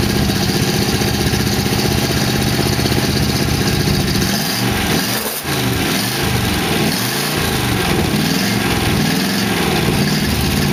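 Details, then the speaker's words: 1962 Oldsmobile 392 V8 in a 1914 Dodge Brothers rat rod, fresh start with no coolant in it. Steady, even idle with fast, light lifter ticking that was loud at first start and then calmed down. "yeah lifter's quick making noise looks like it's uh actually even idling but the lifters were ticking when i first started it uh they calm down"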